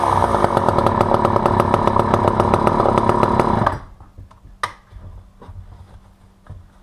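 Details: Vintage all-metal Poulan 2000 chainsaw, long stored and whose case filled with water for weeks, started on choke; fires steady and even at fast idle about four seconds, then shuts off; sounds healthy.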